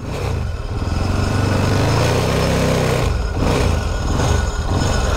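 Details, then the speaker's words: Moto Morini twin pulling away: lumpy thumping with a thin squeal on top, the normal noise of its dry clutch. "oh yeah think of it it's a dry clutch too listen to it squeal"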